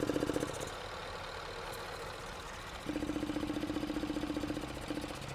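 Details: Hyundai/Kia with code P0441, vacuum gauge hooked to the purge line and duty cycle monitored on a scan tool: fast, even ticking about four a second over a quiet idle; purge solenoid cycling normally.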